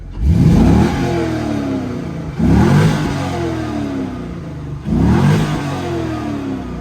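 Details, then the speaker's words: GM coupe with 5.7-litre V8, warmed up after a full day of driving: three clean throttle blips, revs rising and falling smoothly with no knock or miss. Normal, healthy warm V8. "Yeah, she sounds good."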